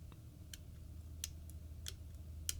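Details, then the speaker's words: FiiO FT1 Pro planar open-back headphone: sharp light clicks as the loose, slightly protruding bass-port vent cover on the left cup shifts when pressed; it also rattles when walking while wearing it. "you can actually hear it moving it rattles and even if I walk around my house wearing it because as I mentioned using that M23 dap from Foo when I paused it and I walked I could actually hear a rattling sound and I thought something was loose on the driver it turns out it's my vent cover that is loose and rattling"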